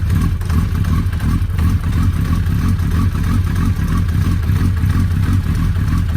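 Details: Suzuki Hayabusa started after a clutch repair, with the loose clutch pressure-plate bolt fixed and filled with Motul 100% synthetic oil; deep, steady beat with no odd noise, and drivetrain jerks in gear are normal. Normal running.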